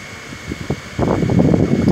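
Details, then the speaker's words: Electric fan after lubricating its motor, which had been seizing, slow and noisy: quiet start, then steady even whir with no squeal or grinding, running freely; normal fan running. "Olha aí galera olha funcionando silencioso assim ó aí tipo rodando aliviado galera entendeu rodando aliviado"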